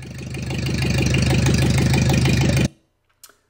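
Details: 1941 Ford 9N after complete engine rebuild, first start in many years: firm, even chugging about three beats a second, then switched off; runs smoothly and healthy. Oil pressure present; not charging, cutout relay suspected.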